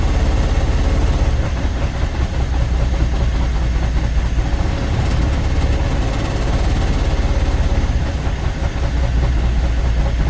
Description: IN THE CASE OF THIS CUMMINS ISX15 ENGINE THERE WAS A MISSFIRE ON THE 3 REAR CYLINDER, COMPRESSION WAS LEAKING STRAIGHT OUT AND THIS PROBLEM WAS CAUSED BY A DAMAGE CYLINDER HEAD.